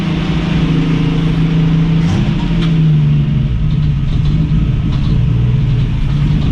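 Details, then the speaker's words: 1965 Mustang straight-six after carburettor cleaning, linkage reconnected, idle jet turned way down: lumpy low idle that bogs and stumbles when revved; lean idle mixture stumble. "Alright, now that's because I have the idle jet turned way down."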